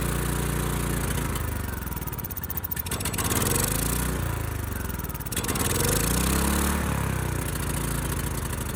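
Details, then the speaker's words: Ridgid generator, Yamaha MZ360 engine, about 10 years old, unused 4 years, first start on starting fluid after carburetor cleaning. It runs fast and unsteady, its pitch swinging every couple of seconds: high, hunting idle. Owner later finds the throttle sticking and suspects lean running. "All right, so I'm not quite sure what's going on. It did run a little fast."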